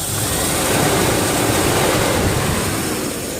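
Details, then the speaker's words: 1997 Land Rover that was overheating in traffic, after fitting a new clutch fan, engine revved: loud rushing whoosh of air swelling with revs and staying strong; fan clutch engaging normally. "okay it's on and what a difference Wow I give it some gas you can hear the air really rushing through there"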